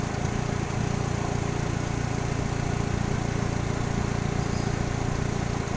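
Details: Kia Sephia (2000) engine at idle with an uneven, lumpy beat, roughly two and a half pulses a second over the steady hum, from a cylinder misfire.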